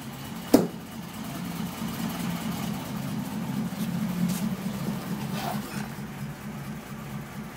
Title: Ferrari Mondial rough idle and backfire